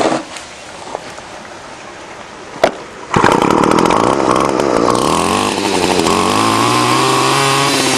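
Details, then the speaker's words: Fourth garbage-picked string trimmer, fixed by replacing broken fuel lines and cleaning a dirty carburetor: a few pulls, then the two-stroke catches and revs to a steady high buzz, running clean and even; normal running. "I fixed the fourth one now it was just broken fuel lines and dirty carburetor let's see if she fires up"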